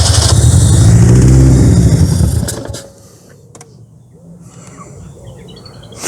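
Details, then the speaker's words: Austin Ambassador abandoned about 25 years, first start attempt: engine catches and revs roughly for a couple of seconds then dies; fires but won't keep running, ignition timing to be advanced via the distributor; cause not confirmed. "No way! And idle up. Fucking hell, come on, Albert. So close."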